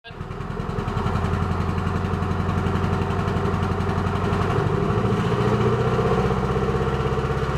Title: Current MR2 problem 6 3 16 possible misfire